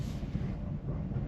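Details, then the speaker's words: 1988 VW Vanagon driving after coolant hose replacement, with a mostly dead battery and the AC belt removed: rough, uneven low exhaust rumble, stumbling with a bad misfire of unknown cause. "Oh, it is misfiring real bad right now."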